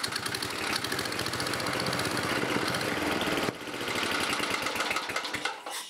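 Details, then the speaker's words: 1987 11 HP Briggs & Stratton with electronic ignition, running on its old red carburetor: rough, uneven running with irregular rapid firing and some knocking; rod knock suspected. "The bushing gone in the throttle shaft there. That's another reason I couldn't get it to run. It was pulling air in there, and I was trying to adjust the mixture and just couldn't get it."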